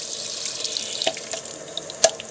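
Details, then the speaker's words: Atwood RV water heater being refilled from city water after flushing: light splashing and trickling with a couple of louder spurts from the pressure relief valve. This shows the tank is full. "As soon as the water begins to come out the pressure relief valve, which is going to take a couple of minutes for the tank to fill up. There it is."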